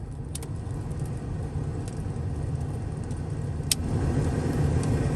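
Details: 1980s GM G-body HVAC after reconnecting a disconnected cigarette-lighter harness cable: steady low whooshing rumble swelling as fan steps up, even, no rattles or squeals; normal blower operation on high.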